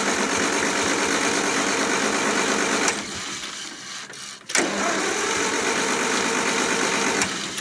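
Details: 1974 International IH 354 tractor in winter, around 0°C after -30° nights: starter churns about four turns a second, pauses, churns again without firing; no spark, later traced to a frayed, likely shorting points-to-coil wire while checking cap, rotor, points, coil and condenser.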